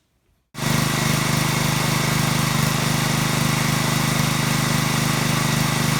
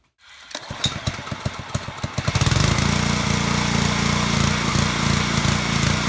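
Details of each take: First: Small-engine pressure washer after cleaning the carburetor's internal pilot jet to cure surging: it starts and settles into an even, steady beat with no RPM hunting. Normal idle after the fix. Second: Small petrol engine on a pressure washer starts, then surges and hunts at idle with its RPM fluctuating up and down. Annoying but harmless. Cause is a clogged carburetor pilot jet.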